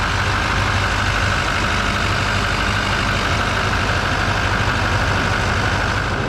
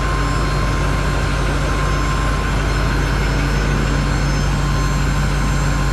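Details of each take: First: 2021 GMC Denali Duramax diesel, rebuilt truck, cab just reinstalled, first start-up after rebuild; steady even diesel clatter at idle, no misses, knocks or whines; normal healthy idle. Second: 2021 GMC Denali Duramax diesel after rebuild, first start after sitting since November, good oil pressure: loud steady rumble with a thin constant whine above it, growing quieter. Owner suspects the in-tank lift pump, possibly air in the fuel system.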